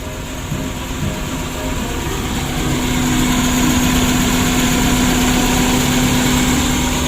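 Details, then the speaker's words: Suzuki Carry 1.5 injection, just restarted: idle drones but shakes with an uneven, limping beat; misfire, with burnt wiring found; air filter also to be checked. "Memang mesinnya agak goyang lor. Nanti kita periksa juga ya untuk saringan udaranya. Lah ini seperti pincang ini."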